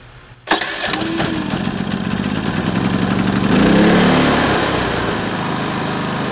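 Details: Predator 3500 inverter generator, 18 hours, restarted after the spark arrestor was cleaned and refitted: fires at once and settles to a steady even run without surging or popping; normal running.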